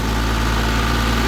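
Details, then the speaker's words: 2022 Honda Civic with reported intermittent misfire and power loss, test-driven in gear under throttle: steady even engine drone with no stumble or skipped beats, no check engine light; smooth running under load, fault not reproduced. "más ya no falló carro ya no falló vato Ching madre Ahí está jalando bien"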